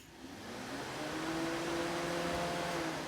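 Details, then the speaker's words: Junkyard Dodge Intrepid electric radiator fan wired as a two-speed setup on an LS swap with relays and switched on through the scanner controls as fan 1: a soft whir climbs in pitch over the first second, then holds steady. Normal fan start and run. "So then if you go into your scanner and open up your controls, you can probably hear the fan turns on in the background for fan 1"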